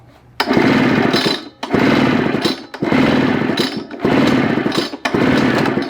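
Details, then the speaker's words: Craftsman backpack blower with Japanese two-stroke engine during compression testing after oil was squirted into the cylinder: five quick pull-start cranks, spins light and easy without firing; compression stays low and bleeds down. Low compression, unlikely to run. "yeah same kind of thing and it's bleeding down too so unlikely that this will run"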